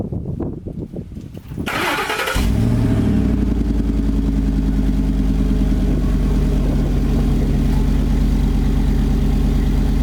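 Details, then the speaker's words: 2006 Ford F150 started right after a side-exit exhaust pipe was installed with a flexible exhaust repair kit: cranks briefly, catches and settles into a steady, even low idle rumble with no ticks, rattles or leaks; healthy. "Alright guys, so we know it sounds good, we know it's secured and locked on there."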